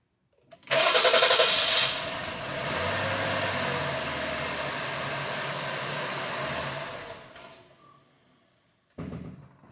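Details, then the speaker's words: 2020 Jeep Grand Cherokee 3.6, P0339 extended crank after another shop's engine rebuild (heads off), scope on crank sensor: starter whirrs briefly, engine catches and runs then sags and stalls; starts better but not perfect; damaged crankshaft trigger tooth. "So it starts better. It's not extended, but it's not like a perfect crank e"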